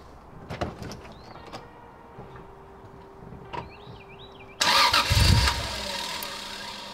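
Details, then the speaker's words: Toyota Soarer on first start with a G4X ECU and stock twin-turbo base map: engine catches, idles roughly two to three seconds, then dies and won't rev; fuel starvation from a split fuel pump hose, gas tank badly rusted. "so car will start up and idle for 2 3 seconds and it sounds like it's just completely losing Fuel and uh dying"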